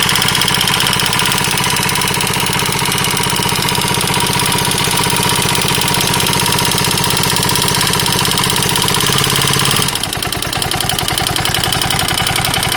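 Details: KTM 640 LC4 single at idle: hard, regular knock about three times a second following the engine's beat; owner unsure whether top end or bottom end problem.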